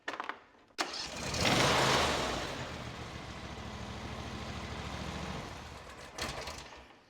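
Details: John Deere S140 lawn tractor, Briggs and Stratton twin, after a no-start from a starter gear stuck down with debris, run without shrouding, parking brake on: short crank catches quickly and settles into a smooth, even run; normal start.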